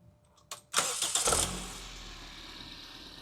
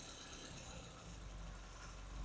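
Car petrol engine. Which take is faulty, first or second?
second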